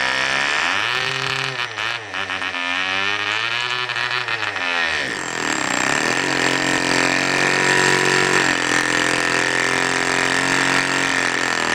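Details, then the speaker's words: Cox diesel mini generator, run with the exhaust open and its fuel hose clogged. It screams high, wavers in speed, then runs rough and uneven. The axle slipped, and the owner believes something is sticking, suspecting an out-of-balance flywheel. "something is sticking in the engine I believe is the flywheel who is out of balance right now"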